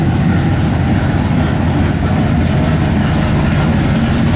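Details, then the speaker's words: 1957 Chevy pickup with swapped big-block Chevy, 3-inch mandrel-bent exhaust and Black Widow mufflers, first fire-up with exhaust: deep, loud, even idle rumble, steady and smooth with no knocks or misfires. "It's not going to be quiet, I can tell you that. All right, first fire up with the exhaust. Let's hear it."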